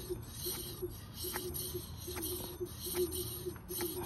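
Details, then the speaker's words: Hoover-1 Journey Max scooter, wheel lifted and spun during brake adjustment: faint rhythmic swish once per turn as the inside brake pad lightly rubs the rotor; brake lever nearly touches grip. "I see the pad touching right there see let's lift this up hear"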